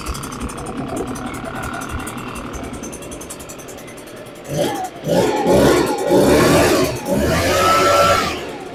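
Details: Echo PB580T leaf blower two-stroke, previously seized, after rebuild with fresh fuel, choke on and priming: after a few pulls it catches, revs in bursts, settles into crisp steady idle; normal start and idle.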